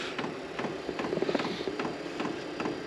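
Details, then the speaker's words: maXpeedingrods 12V 8kW Chinese diesel heater, first start after garage install: light regular ticking about two or three a second over a faint fan whir; dosing pump priming diesel through the fuel line, no ignition yet. "well it's making the dreaded ticking noise no heat just yet after all the Diesel's got a prime through"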